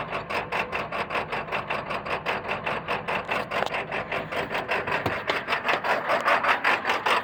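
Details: 1999 Ford F-450 7.3 Power Stroke diesel clattering at idle in rapid, uneven pulses of about five a second. It has a rough idle and touchy throttle; the cause is unknown.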